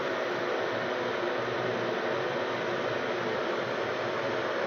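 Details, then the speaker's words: Bathroom exhaust fan after cleaning dust from the motor housing and fan, run with the grill off. Smooth, even airy whoosh with a faint low hum and no rattle, ticking or squeal; it sounds much better. "Now to see if it runs better, we're going to plug it in first. And we're going to turn it on with the grill off. See if I can reach the switch. Oh yeah, sounded a lot better."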